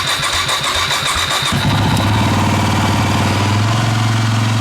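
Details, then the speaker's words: Brand-new Husqvarna TX300i: with the key on, the fuel pump runs but the start button does nothing. Powering the button wire directly gives quick cranking that catches and settles into a steady idle. Cause is an unidentified electrical fault; starter does not work from the button. "So if we come in here, we turn the key on, and hear the pump run, and nothing else lights up, and the button doesn't work."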